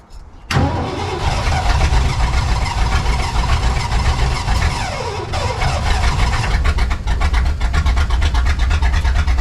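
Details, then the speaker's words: Tuff Truck just fitted with Holley Sniper EFI: engine catches abruptly, runs rough and surging, then poofs out and stalls; sputtering start then stall, cause unknown, later troubleshot for no-start and rough idle. "we there we go trying to run whoo and then it poofs out all right we're gonna get this thing figured out um and see what's going on"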